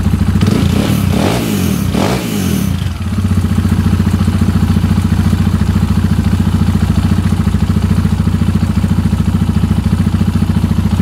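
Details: KTM 690 SMR single with newly fitted Akrapovic exhausts; it ran rough before with the latest KTM map. Sharp throttle blips, then a deep, even idle thump with no misfires or rattles. Healthy.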